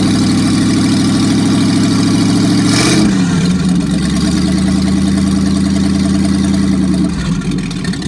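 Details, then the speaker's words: Packard 356 marine engine (nine-main-bearing, circa 1950), first run after rebuild, excess cylinder oil cleared out, final adjustment pending: deep even drone shifting pitch once, then smooth and steady; normal running. "first run after rebuild so we had lots of oil on the cylinders and that all had to be kind of cleaned out so i think we're getting there now we'll do a final adjustment and be good to go"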